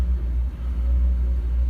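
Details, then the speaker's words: Toyota KE30 Corolla started after years of storage, fuel line to tank choked with old fuel; low, steady rumble with slight unevenness, fairly quiet; running a little rough, expected after storage. "swap on one off another 2-door one which I have got laying around as running a little bit rough but I suppose you expect that"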